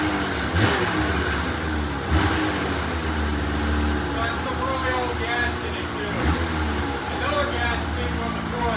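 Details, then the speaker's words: $500 2004 Polaris RMK 800 two-stroke snowmobile, first start after head reinstalled with used O-rings, cold: crisp even crackle rising and falling cleanly with throttle blips, no misfire or stumble; runs healthy. "oh wow it actually sounds pretty good"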